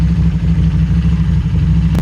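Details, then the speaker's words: Harley-Davidson Street 500 chassis (17k miles) with fresh 750 engine (60 miles), warm-up idle at about 96 degrees: idle gets disturbed, bouncing between 13 and 16, then smooths out before stalling; unstable warm idle from poor fuel tune, throttle plates slightly open. "you can see the idols getting a little bit disturbed it's bouncing between 13 and 16 it was back to smoothed out"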